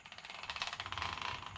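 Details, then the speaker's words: Arrma Outcast ExB RC roller center differential spun by hand with a screwdriver: fast even ticking of the internal gears, about twenty clicks a second, fluid thin; owner plans a thicker setup, noting later versions used 20 million fluid. "you can hear the diff. Those are the gears inside the diff."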